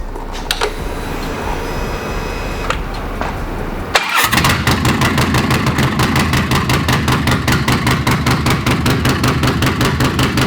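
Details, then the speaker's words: Bagger build with a Two Brothers Racing chrome stainless exhaust: starter cranks briefly, then catches into a steady, lumpy potato-potato idle at about two to three beats a second. Healthy start; unsure the pipe suits the bike's power output. "We don't know if this pipe honestly is gonna handle what this bike should be putting out power-wise. So we might be looking into a different pipe, but for now, it sounds really good."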